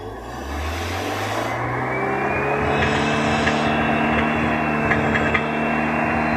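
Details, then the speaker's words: Car converted to petrol plus LPG combination with power jet, freshly started cold; steady hum slowly building, runs evenly, nothing amiss, cold engine not yet responsive to throttle, better once hot. "Nah, dia kalau kondisi dingin belum maksimal nanti untuk apa? Untuk digas itu belum bisa bagus. Nanti kalau mesinnya udah panas lebih nyaman lagi."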